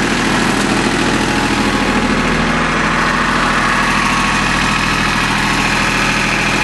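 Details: Small Yanmar diesel with three injector lines, just restarted after air was bled from the whole fuel system following a fuel filter change that left it unable to start: smooth, regular idle at roughly two to three beats a second, steady with no stumbles.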